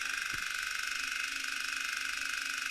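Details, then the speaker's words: Relay-based high-voltage mechanical switching supply; steady high raspy buzz with fine crackling as relay contacts arc, sparking stronger at higher voltage; frequency no longer load dependent but very inefficient. "all the sparking going on in the context the higher the voltage that you're working at the stronger the spark"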